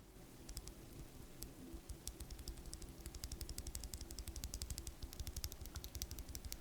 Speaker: And on top of that, I don't know if you can hear it, but if I were to tap the top housing back and forth, you can definitely hear the top housing rattle.